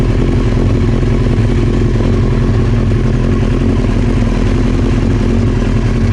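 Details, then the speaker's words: Old Honda CBR900 Fireblade idling with the fuel tap turned off, expected to run out of fuel soon: steady, even idle with a smooth low exhaust beat, no knocks or misses; running normally. "So obviously at the moment it sounds and it's behaving normally, so"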